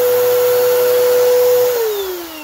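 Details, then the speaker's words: Bissell vacuum with a broken brush-roll belt: a steady, unloaded motor whine with no brush-roll flutter, then falling pitch at switch-off; the roller and beater are not turning. "I think she said she plugged it in she was going to do the outdoor carpet and um it didn't sound right so I told her bring it over"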